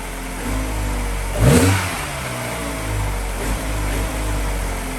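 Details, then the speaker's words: Mini Cooper R56 cold start after sitting overnight at 18.75 degrees: the engine catches, blips once and settles to a smooth idle with no stumble. The cold-start misfire is fixed. "just gonna start the car and this is going to be the confirmation let's hope it doesn't leave spider it's starting to cold"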